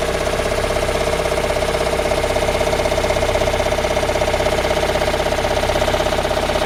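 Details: Toyota Raum 5E-FE after engine repair and reassembly: steady idle with a sharp, regular knock about 160 per minute over the engine note; internal knock, cause unknown.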